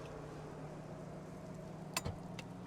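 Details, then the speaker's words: Chevy Tahoe at about 99,832 miles, engine off, recorded close to the fan under the hood: a quiet, steady low whir with faint clicks as the cooling fan keeps running for a long time after shutoff, then stops randomly. Owner doesn't know the cause. "I have no idea what's going on, but when I turn the vehicle off, it'll sound like this for quite some time and then shut off randomly."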